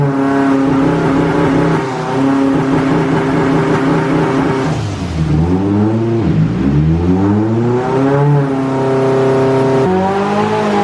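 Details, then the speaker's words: Stroked SR20 (SR22) 180sx turbo on dyno, full-load gear pull after fuel system overhaul: boost spikes over 2 bar as soon as it comes on and the ECU cuts power as a safety, revs sagging and recovering repeatedly. "The car was boost spiking to over 2 bar as soon as it came on, and the ECU was immediately cutting power as a safety."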